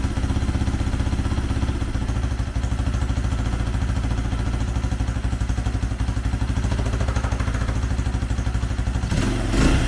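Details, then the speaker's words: 2004 Honda CRF80 after complete top and bottom end rebuild, first start, little choke: small single thumping steadily about four firings a second, no knocks; runs well, needs idle adjustment. "oh yeah she'll run real little choke needs a little idle adjustment but it sounds good"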